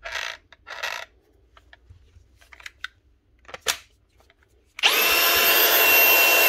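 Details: Milwaukee M18 ONESAG115XPDB brushless cordless grinder after replacing failed bottom rotor bearing with a 605 bearing: after handling clicks it spins up to a smooth steady high whine, no rumble or rasp; normal run.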